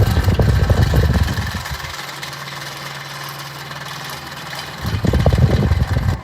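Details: New fan straight from the box, low setting: steady low hum with a rough, rumbling edge, sounding broken (medium also poor, high setting fine); fan rumble on low speed, cause unclear.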